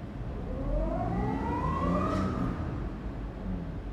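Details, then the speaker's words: Audi Q7 petrol engine revving with a rough, uneven pulse, check engine light blinking; misfire in cylinders 4-5-6 from a faulty ignition coil, fix by finding and replacing the bad coil. "Pag nire-revolusyunan mo yan guys, magbi-blink ang check engine. Tapos nagmi-mispire ang makina."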